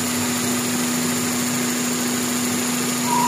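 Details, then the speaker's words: GLI car engine at idle: constant drone with a thin whistle creeping in while the PCV valve is plugged in, the PCV valve possibly faulty and drawing strong crankcase vacuum; noise goes away when it is removed. "Kaya kita mo mayroon siyang ingay pagka ito nakasaksak."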